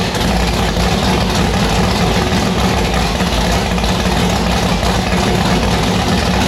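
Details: Annabelle's V8 on E85, first start after fitting a returned 1150cfm Pro Systems carburettor: loud choppy idle with an uneven loping beat and no steady rhythm, sounding violent; lumpy idle, still needs tuning.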